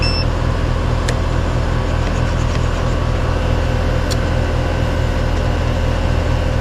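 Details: Roughly three-year-old heat pump/AC condenser that had neither heated nor cooled, running after capacitor replacement: even low hum with a smooth fan rush, no rattles, buzzing or cycling. Readings 129 suction, 234 head, 15-degree superheat; compressor and fan running normally.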